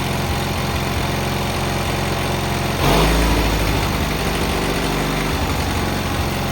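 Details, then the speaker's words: Cub Cadet 682 with a Kohler KT17 twin on its first start, fired by jumping across the solenoid with a battery charger connected: steady, even low putter, smooth idle, no knocks or misses. "Started right up. That was actually the first start."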